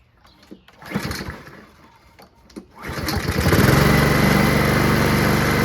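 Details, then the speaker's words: Honda HRR216 Harmony II Quadra Cut mower built from two broken ones: a few pulls, then the engine catches and runs evenly and steadily with no misses or knocks; self-propulsion works, healthy running. "The self-propulsion Works engine starts up it just needs a blade"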